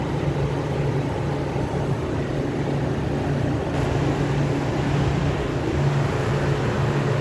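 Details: Copeland compressor making noise and cutting off, fan staying on: steady low rumbling hum with a rough drone underneath, no rising or clanking; noisy compressor, cause unclear.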